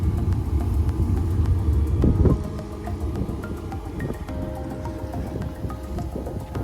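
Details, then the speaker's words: Homemade pool heater with a fuel-oil (fioul/diesel) burner, just primed and heating: a steady, even low roar with no popping or surging, no louder than a filtration pump; the burner runs cleanly. "Ça amorce et ça chauffe."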